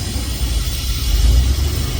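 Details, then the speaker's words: Small-block Chevy V8 in an OBS truck during running rocker arm/valve adjustment, driver side done: deep, lumpy idle with uneven low pulse; rough idle persists, owner suspects sticky valves, cause unconfirmed. "Now I'm going to shut it off. Take the other valve cover off. It's sucking idle."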